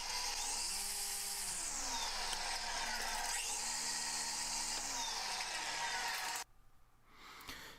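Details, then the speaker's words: DeWalt DCST922B string trimmer after fitting an ECHO Speed Feed head and heavier 6Ah batteries: motor spins up twice to high clean whir and winds down; quieter, battery no longer vibrating, no rattle. "there you can hear that it's a lot quieter the battery is not vibrating back here like it does with the wall pen"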